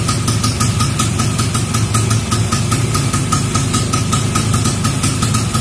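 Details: Vespa Super Sprint with a Japanese PE24/PE26 carburettor and Grand CDI, running after two weeks unused: even, steady two-stroke idle putter with crisp regular pulses and no knocks or misses. Normal idle.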